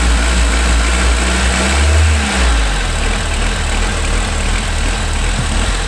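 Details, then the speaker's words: 1992 Honda Accord after timing belt and water pump replacement: idle hunts, beat changing pace instead of holding steady; dirty idle air control valve suspected, later removed and cleaned with carb cleaner. "starts doing funny so maybe it is that stupid thing all right I took off The Idler control valve blasted out with carb cleaner"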